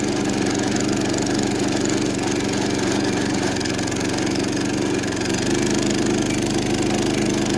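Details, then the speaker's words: Roughly 70-year-old National reel mower with Clinton single-cylinder engine, mowing under load: engine drones working hard with rough uneven knock under exhaust; flywheel found cracked and loose on its shaft. "That engine does not really sound happy. It sounds like it's working super hard. Huh. Did the flywheel fall off?"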